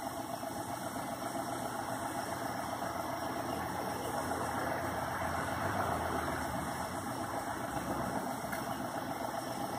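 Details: CPI fuel-injected motor cranked off jumper cables from a truck: starter turns the engine over steadily at about four beats a second but it never catches; crank no start, owner suspects the fuel pump is out.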